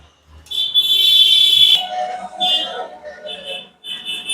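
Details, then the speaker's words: Multimeter on continuity setting checking a car connector's pins one by one for ground: a steady high-pitched beep of about a second on the second pin, resistance reading 001, meaning wire and ground are good; normal continuity beep. "अब दूसरा वाला में ये देखिए यहाँ पे beep sound आ रहा है, आपको साउंड सुना रहा हूं मैं।"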